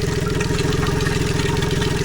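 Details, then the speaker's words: Tohatsu MFS 40A jet outboard at idle, fuel pressure about 45 psi and fuel screen half full, recently replaced low-pressure lift pump: steady mid-pitched drone from the pump that sounds wrong; later a pinholed fuel line was found (abnormal fuel pump noise). "But listen to that. That is the low pressure pump right there,"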